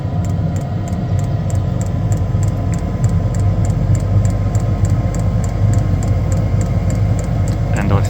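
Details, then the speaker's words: Diesel heater newly installed in a bus: the fuel pump ticks lightly and steadily, then ignition comes and the fan roar picks up speed, running properly with no stutter. "Fuel pumps kicks in. Now, this should ignite now. And we should have the fan speed come up considerably more. And it sounds like it's just ignited now."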